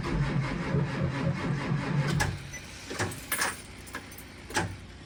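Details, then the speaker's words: School bus on a cold start at 23°F, which failed to start even after being plugged in earlier: the starter cranks evenly for about two seconds without catching, then stops, with smoke from the tailpipe. The battery seems to be going dead, and the jumper connections are suspected. "Sounds like she's starting to go dead, but it is smoking out the tailpipe."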